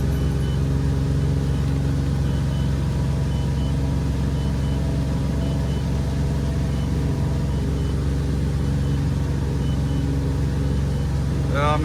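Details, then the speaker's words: Volvo Penta 4.3 GXi fuel-injected V6 boat, backfiring, won't plane, rough idle; dirty filter found but under throttle deep rough uneven drone never climbing in revs, bogging; intake restricted by failed sound-shield foam. "I don't think it's gonna work because it still sounds like it's running pretty rough but the filter was definitely dirty"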